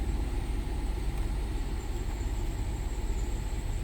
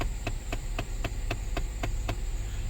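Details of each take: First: 2010 Lincoln MKS after replacing a clicking blend door actuator: steady engine idle and fan rumble as the HVAC changes modes, with no clicking from the dash; working normally. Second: 2010 Lincoln MKS: steady light clicking, about four per second, over low blower hum from under the dash when A/C settings change; a faulty blend door actuator, replaced.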